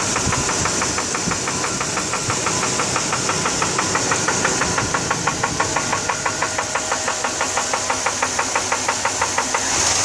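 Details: 1999 GMC Yukon V8 idling with a steady sharp knock about three times a second, following engine speed; owner fears the engine is shot.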